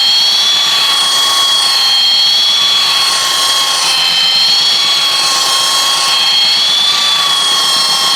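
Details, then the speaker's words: Roughly 65-year-old all-metal Craftsman belt sander, restored with grease, lubrication and a new belt, sanding a 2x6; steady high whine with even rushing belt hiss holding level throughout. Running healthy under load. "I am extremely impressed thing really works good for an old piece of Tu here"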